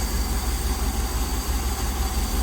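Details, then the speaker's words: 1965 Dodge A100 van, 318 V8 sat for years, on fresh fuel, restarted without priming, engages first gear: low, steady idle with an even smooth beat, no knocks or misses; normal idle. "It sounds pretty good. Let's see if it'll shut off and start back up."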